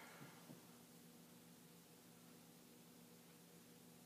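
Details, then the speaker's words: Commodore 1571 or 1541-II floppy drive formatting a disk: only a faint steady motor hum and hiss with no head clicks, the disk spinning but the head not stepping. "it's spinning it's spinning"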